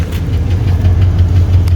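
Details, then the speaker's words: 1984 Chevy Caprice wagon, 305 V8 with a Quadrajet and 700R4 and about 121,000 miles, warm after a three-hour drive, at idle: deep, loud V8 with a faint quick tick at engine speed. Owner calls it lifter tick; unconfirmed. "it's got a little lifter tick on 305 but that's all right it's a good cruiser"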